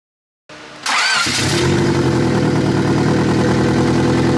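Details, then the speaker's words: Turbo D16 (Vitara) Honda Civic at idle after 3-bar MAP sensor install with tune loaded: cranks, catches, slightly lumpy idle with steady hiss; vacuum leak, later found to be a slightly broken throttle body gasket. "let's turn it on and see if it still runs a crap ni it's still leaking bro"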